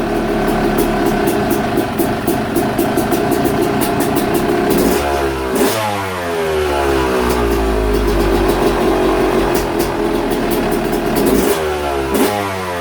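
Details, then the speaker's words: Yamaha YZ250 two-stroke, first start on old tank fuel with premix visible in the carburetor: crisp note climbing and dropping cleanly with each throttle blip, no bogging or misfire, some smoke; revs freely, sounds good. "well it sounds good sounds stock but it sounds good"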